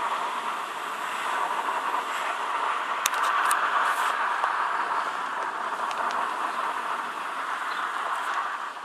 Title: Tdi 150 Bruit soufflerie